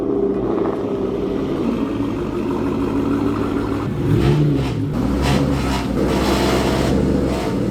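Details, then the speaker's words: S197 Mustang GT V8 with new catless aftermarket exhaust at low speed: deep burble with raspy metallic buzz from under the car, first suspected heat shield, actually exhaust leak from a loose clamp not double-checked after install. "when I first started there's like a little buzzing sound that's coming from the exhaust and I think there's like a heat shield that may be hitting it either that or one of the clamps is a little bit loose"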